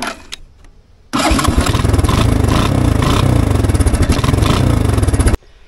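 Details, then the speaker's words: Three-wheeler with a dead battery, started using a jump starter after clicking with no crank; brief cranking, then it catches cleanly and settles into a steady, even low idle thump with no misses, normal start and idle. "well definitely started the three-wheeler no problem"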